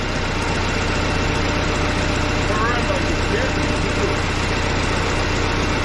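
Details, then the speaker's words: Case 188D diesel backhoe tractor, first start after a year-long rebuild, injector pump refitted, throttle by hand, leak at the pump's bottom plug: steady low idle with an even firing beat, no knocks or rattles; normal idle. "oh my gosh welcome sound inside that is nice and quiet we're just gonna let her idle"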